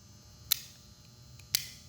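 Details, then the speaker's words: Ford Skyliner retractable hardtop roof/deck lid screw lock, cut-away demo: two crisp clicks about a second apart as spring-loaded ratchet dogs slip over the square cutout in the inner screw, normal design; occurs in service if the limit switch is misadjusted. "That's sort of how the clicking sound works on the ratcheting system on a Skyliner."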